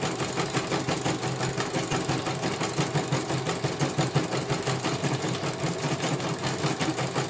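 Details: CNY computerized embroidery machine in for service, whose motor earlier would not turn or make any sound, test-stitching a small design after repair. Quick even needle-bar clatter, about three strokes a second, no grinding or motor whine. It finishes one color and the technician calls it very good.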